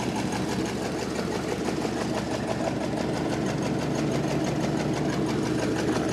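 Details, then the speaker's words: 1929 Ford Model AA Express barn find, sat over 30 years, first run in decades, at idle: slow loping beat with slightly uneven rhythm and faint miss, owner unsure if number 4 cylinder is firing; rough idle. "So I brought it down to idle here and it's starting to sound pretty good. Not sure if number 4 is coming around on us or not"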